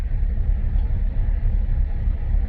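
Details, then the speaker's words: 2017 Buick Encore with check engine light and surging, parts store blamed oxygen sensor: deep, uneven warbling idle like a slight misfire, traced to a vacuum leak from a faulty valve cover. "and I don't know if you can hear it but the engine is basically like wob wob warbling it's kind of going like it's got a little bit of a misfire to it"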